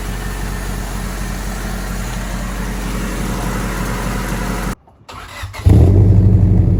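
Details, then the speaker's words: Honda Civic with a new custom exhaust, after exhaust leaks were fixed, recorded outside without the silencer on cold start: much quieter, but an uneven, stumbling exhaust beat makes the misfire clearer; engine misfire at cold start. "You can definitely hear the misfire a lot more clearly, but all in all, it's a lot more quiet, which I love."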